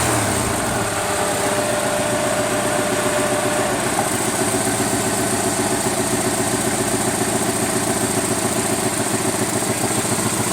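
Quick, steady light ticking runs over an even idle at roughly four per second; a valvetrain or injector tick, cause not pinned down.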